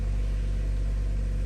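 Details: 2013 Chevrolet Cruze 1.4L turbo after a water pump replacement and coolant refill: a steady, even, low rumble with no knocks, ticks or whine. The engine is idling normally.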